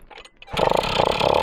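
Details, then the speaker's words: Motobécane moped started after a ride: catches after a quiet moment and settles into a steady even buzzing idle with no misfires; normal start and idle. "ça démar c'est top ça a l'air de tenir ralenti non vraiment c'est une une bonne petite machine"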